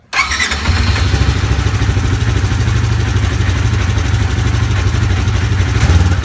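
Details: Polaris RZR 1000 after replacing the shorted fuel injector connectors, which had caused rough idle, cutting out and power loss. It catches quickly and settles into a steady, even low rumble with no stumble. Runs clean, check engine light off.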